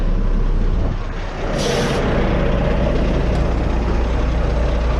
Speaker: mud flap sounds like a leak but that's just a the tank filling